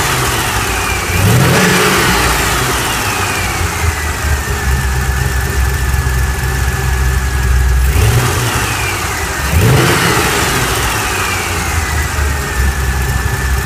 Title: LS7 Whining noise after cam install